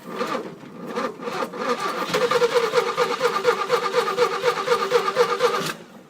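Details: 1971 Jeep CJ-6 with stock Buick 225 engine, hot-wired, no exhaust manifolds fitted: raw, sharp popping chuffs straight from the ports, loud and uneven at fast idle.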